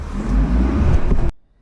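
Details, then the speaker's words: 2011 Honda Civic two-door on lift, rear wheel spun by hand: low, rough growling hum that rises with speed then cuts off; bad rear wheel bearing, louder with car's weight on it. "you hear that noise that's the noise it's making already the faster he goes the more noise it makes"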